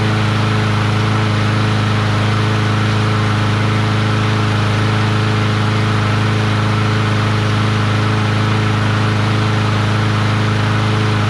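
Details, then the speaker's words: Craftsman push mower with Briggs 550EX engine, just after the new plastic carburetor replacement: steady, even drone with a constant low pitch, no hunting or misses; runs smoothly now, old carburetor was faulty, possibly a missing red O-ring. "Well, I guess you guys were right. I'm sorry, I was wrong. It was the carburetor, which boggles my mind because I couldn't really find anything wrong with that other carburetor."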